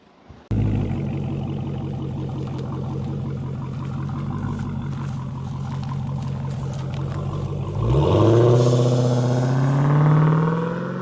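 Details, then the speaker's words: Dodge Challenger SRT 6.2 V8 supercharged HEMI on stock air filter, before K&N cone filter swap, stationary: engine fires, settles into even idle, rev raises tone with only faint supercharger whine; normal start and rev. "Just start the engine and hear how it sounds on the stock air filter in. Because even the air filter inside itself is stock."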